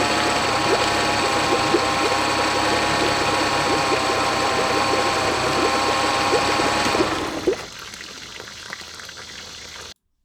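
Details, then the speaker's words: Honda BF40 40 hp four-stroke outboard, low power: idles fine but accelerating gives busy, uneven pulsing about four beats a second and more shaking; owner suspects fuel starvation, later fixed by cleaning carb jets and replacing o-rings. "but as soon I start accelerating um it becomes more inconsistent and um the engine starts shaking more"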